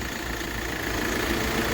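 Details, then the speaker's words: Hyundai i20 after fixing an open injector circuit that previously caused knocking, misfire and heavy vibration: steady, even idle, constant note, no knock, miss or shake; runs smoothly, normal idle. "स इजन चल र पूरा smooth देख स हो कोई वाइ बरेट नहीं बिल्कुल okay है"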